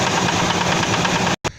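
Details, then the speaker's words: 1999 Ford Expedition 5.4L Triton V8 idling, noise from passenger side toward rear: dull regular clacking keeping pace with engine speed, not metal-on-metal; started days after purchase; source not yet found, to be inspected with camera. "right so that noise if you heard it that's not a metal-on-metal noise it's kind of a dull funky noise which really had me curious"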